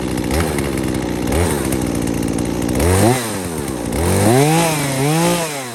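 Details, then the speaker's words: Husqvarna 240 chainsaw with a new aftermarket Hipa carb after correcting high/low and throttle adjustments (previously bogging, screws backed out too far), restarted after sitting 15–20 minutes: two-stroke snaps up crisply through blips and settles cleanly, no bogging; running good. "But that's how it's running. It has not run like that since I put that Hipa carb on here. Right now it's running the best it's ever run."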